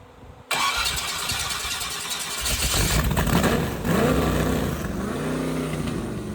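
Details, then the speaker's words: 388 small-block Chevy V8 with vintage Hilborn mechanical fuel injection, throttle stop adjusted because idle speed was too low, checking balance between the two injector banks: fires, takes throttle blips, then holds a lumpy but steady idle; normal idle. "What I want to try and do now is get the engine to idle and just check the balance between the two banks of injectors."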